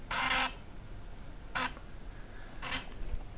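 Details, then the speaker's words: Samsung SFD-321B PC floppy drive on Amiga after taping over the disk's HD hole so it reads as double density: three short buzzy seek-and-read bursts about a second apart; sounds different from before, demo loads, normal read. "so let's see what happens now that sounds different"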